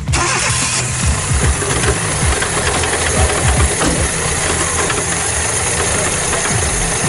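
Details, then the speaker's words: Fiat Panda 4x4 engine that knocked loudly on the road, started with alternator belt not yet tightened; idles with uneven low knocking, alternator bearings worn out, feels rough under load. "going to put load on, but yeah, the bearings are gone."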